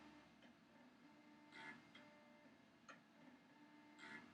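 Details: Classic compact Macintosh, suspected no-video unit, powered on after years unused: faint irregular ticks about once a second over a quiet hum as the floppy drive stepper motor pulses, as if trying to cycle.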